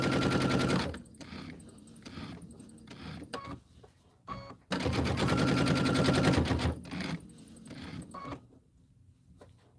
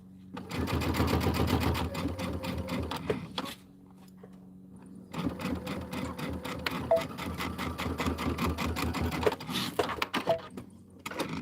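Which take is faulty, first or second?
first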